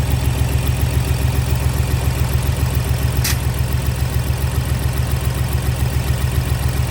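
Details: Ford Explorer with a naturally aspirated V6 (not EcoBoost) idling rough with a clattering, chugging misfire on cylinders 1 and 2; new plug and injector swap didn't fix it; owner suspects the worst and plans a compression test, later replacing six plugs and coils.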